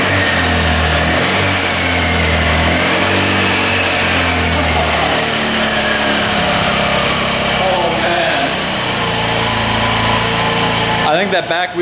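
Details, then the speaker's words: 2018 Honda Ruckus scooter, bought as a non-runner, just got running: very quiet small engine idling unsteadily, its speed wandering and dipping; runs poorly, cause not yet known. "Thing is quiet. Holy cow. Barely hear it run. It's not running the greatest, is it?"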